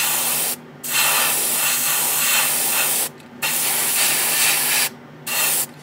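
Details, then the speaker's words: New Gaahleri GHAD-39 Advance airbrush painting an old kit at low compressor pressure, about 15–20 PSI: steady airy hiss in even bursts with clean cutoffs, no sputtering or pulsing; very smooth spray. "is it is very smooth I don't have to say that for certain and I'm using a very low pressure here about 20 about 15 PS SI"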